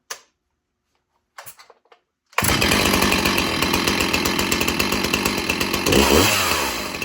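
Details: Stihl MS361 Farm Boss chainsaw with 20-inch bar: after a quiet pull or two it fires and settles into a strong, even high-pitched buzz; healthy running.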